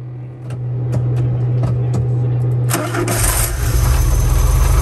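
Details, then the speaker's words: VW camper van revived after 10+ years parked, after reattaching exhaust with emptied catalytic converter: brief crank, clean catch, smooth quiet even idle, no exhaust blowing; off-idle hesitation gone, normal start and idle. "so quiet idling perfect it's perfect it's off idle hesitation it's totally gone"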